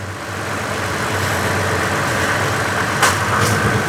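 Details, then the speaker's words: 2016 Toyota Tacoma after AC repair, idling: steady even hum, soft click as compressor engages, no grinding or rattle; cold air, no compressor noise, normal AC operation. "And we've got cold air. There's no noises from the compressor."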